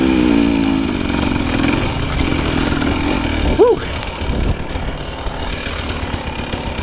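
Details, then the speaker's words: 2025 Husqvarna TE300 two-stroke TBI, after ZTM ECU remap, climbing a steep silty ravine at very low rpm: low uneven burble lugging without loading up or needing a blip, no wheelspin; normal low-rpm running. "It does not spin when I don't want it to, and it just climbs out of this steep ravine without breaking traction in the really loose dirt."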